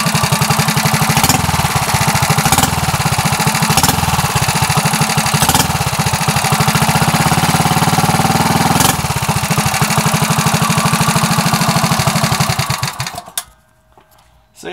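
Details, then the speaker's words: Coleman CT100U minibike after fitting a muffler to the new header pipe: small single-cylinder thumps along evenly with a soft, muffled exhaust note, much quieter with some back pressure, then shuts off; running normally. "I'd say that's a heck of a lot better gets that little bit of back pressure going back into the engine"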